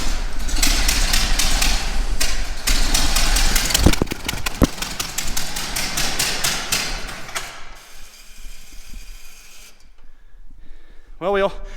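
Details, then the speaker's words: 1924 Ford Model T, not run in many years, first start-up after starter refitted: cranks, fires and runs with loose, uneven clatter for several seconds before dying; runs but crew thinks choke needs leaving more open and timing adjusting. "that's running though yeah but let's try it again and that way i think we need to leave the choke open more and then you need to mess with the timing"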